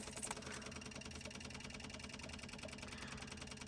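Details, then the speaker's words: Kubota U17-3a mini excavator during service, ignition on, engine off: fast, even lift pump ticking settles to a steady note as newly fitted fuel filter fills and system pressurises; normal lift pump operation. "It should start filling it up. And that should be filling the fuel filter that I've just fitted. check the oil. You can hear the pumps now pressurised"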